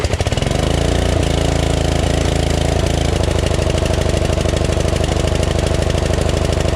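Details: Craftsman LT2000 lawn tractor repowered with a Briggs 14.5HP SOHV engine after sump gasket repair and new battery, started with choke; catches almost instantly, then settles into an even low-throttle thump with no knocks or stumbles; normal idle.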